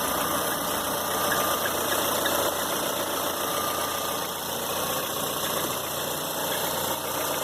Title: Barulho no motor do C4 Pallas